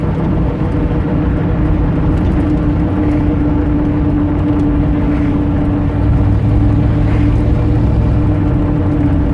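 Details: 1989 Dodge Ramcharger: a steady, thin squeal over the engine drone that depends on throttle position and holds while the throttle is held. It chirps when powering through and also at key-off. Source not yet found.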